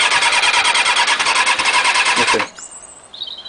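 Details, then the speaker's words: Motorcycle with recharged battery, tried choke off and fully on, no throttle: starter whirrs evenly about three beats a second for over two seconds, engine never catches. Cranks but won't start. "Put the choke all the way on. Press the button. Nothing."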